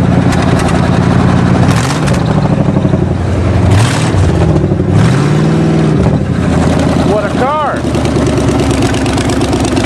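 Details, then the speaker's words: Chevy 350 5.7 fuel-injected V8, cold winter start with fresh battery: deep burble that settles, then swells with a few throttle blips and drops back evenly; normal cold start and idle. "always trust your Chevrolet to start on a cold day it is a Chevy 350 5.7 in there"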